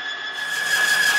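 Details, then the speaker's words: Timken bearing test rig with Castrol Edge oil and a load on the torque wrench lever: a sharp, steady high squeal near 1.7 kHz starts around 10 lb of load as the bearing rubs through its oil film, with current rising from 5 amps. "as we increase this load onto the torque wrench it's like putting a trailer on your truck you can hear it start squeal in there around 10 lb"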